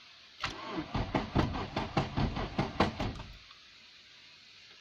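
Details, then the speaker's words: Nissan Bluebird after head gasket replacement, fresh oil, coil off, cranking to build oil pressure: uneven, harsh starter surges about two or three per second for three seconds; horrible noise, cause not yet found. "it does make some horrible noises booger I think I need to try and find out what that is"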